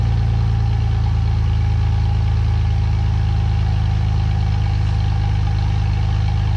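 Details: 2017 Ford F150 5.0 with both catalytic converters installed, air pump and return line removed, EGR retained: deep, steady idle with even low rumble, no knocks, misses or exhaust leak ticking; runs smoothly.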